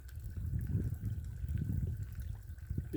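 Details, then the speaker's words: Sugarbush sap vacuum line held down: low, uneven gurgling of sap surging along the tube, a sign an air leak is nearby. "pulling if it's pulling like that you gotta leak"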